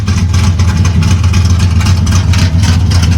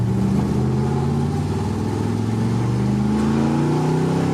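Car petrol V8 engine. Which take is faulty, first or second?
first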